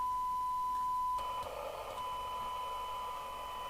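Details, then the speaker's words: Uniden Uniace 100 CB27/81 UK FM CB radio during a service alignment, after replacing the failed 470uF and 220uF capacitors. A thin steady tone, then a hissy, distorted receive with the tone breaking up. Every stage except the detector was far out of alignment. "you know what everything except the detector is been miles [Music] out"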